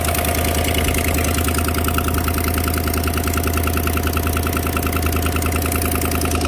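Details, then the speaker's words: GM 5.3 V8 Silverado at cold idle, noise heard only after sitting: sharp, even ticking about three per second. Exhaust manifold leak, with carbon traces and a broken rear manifold bolt, not lifters. "and there you go that's an exhaust link that noise see all the carbon there that back bolt is broken so that's a relatively common issue"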